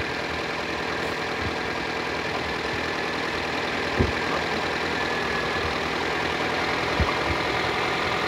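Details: 2006 Toyota Corolla after alternator replacement, now charging at 14 V. Even, smooth idle hum with a couple of stray clicks and no whine or knocking; the earlier noise seems to have gone away. Normal idle.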